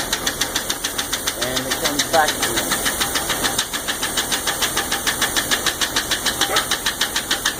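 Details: 1999 Jeep 4.0 with constant sharp, steady top-end ticking at idle, about three per second; pressing on the #5 exhaust valve silences it briefly before it returns. Owner suspects a collapsed or stuck lifter, possibly piston slap; unconfirmed.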